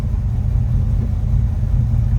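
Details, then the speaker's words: Idle of a 1969 Chevrolet C10 V8 with 2,913 miles on the odometer and a recently gone-through engine and transmission, running under 1,000 rpm: deep, steady, even loping rumble with no misses or knocks, a normal healthy idle. "you can see how nice that idles under a thousand rpms nice little rumble to it"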